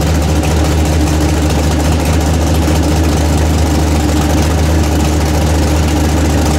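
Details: Chevy S10 with freshly built 406 small-block V8, first fire-up before break-in: deep, steady rumble with even firing and no ticks or knocks; idling cleanly and healthy.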